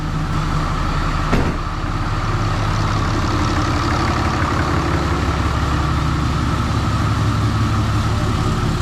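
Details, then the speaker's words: Freshly rebuilt 6.7 Cummins diesel during break-in, cold start the day after first fire-up: a steady, even idle clatter with no knocks or misses, good oil pressure, charging and no leaks; a normal idle that "sounds like a sewing machine." "Good oil pressure, charging. Sounds like a sewing machine."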